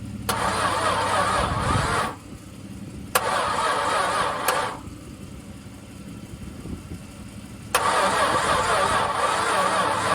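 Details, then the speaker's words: Long-stored VJ Dodge ute engine, previously stuck, oiled but unserviced for years, weak battery boosted: rough uneven cranking bursts separated by pauses, harsh laboured turnover before it catches; harsh cranking after long storage. "I must admit, she doesn't sound very pleasant. One of the worst ones I've heard turn over in a long time."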